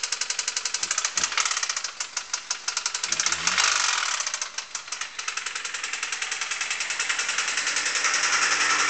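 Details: Honda D16Y8 engine running: sharp, evenly spaced metallic knocks, roughly three or four a second, stand out over the engine, a classic rod knock.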